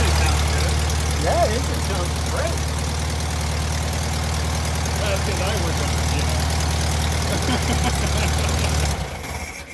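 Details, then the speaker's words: 1973 VW Thing with a swapped-in VW Beetle engine, restart attempt: a rough, lumpy idle for several seconds, then it dies abruptly as if starved of fuel. It ran out of gas, and the stiff, worn fuel pump is suspected. "it's out of gas well let's uh yeah we were thinking that fuel pump was so Greg pointed out how stiff it was yeah generally in disrepair"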